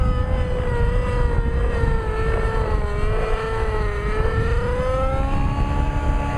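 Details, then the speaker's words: Nitro RC helicopter engine doing tick-tocks: high, wavering raspy buzz under load with no smoke and lost power; idle higher than before on throttle hold; running lean, needs richening. "Very raspy sounding. Now notice this. I hit the throttle hold. The idle is higher than it used to be. That's what I call a pissed off engine."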